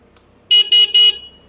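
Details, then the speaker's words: Hero Xpulse motorcycle horn after fitting a genuine Hero replacement horn switch, the old one having failed for a long time: three short, clean, even blasts with a steady bright tone and no rasp or dropout; the horn now works. "ಈಗ so ಉಳ್ಕಿದ್ದ horn, indicator ಎಲ್ಲ ready ಆಗೈತಿ."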